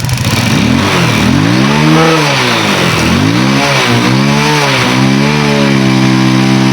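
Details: Rusi motorcycle after its rusted spark plug cap and high-tension wire were cut back and redone: it starts after one backfire, then runs and revs cleanly, pitch rising and falling through several blips. Finding: engine running and revving normally.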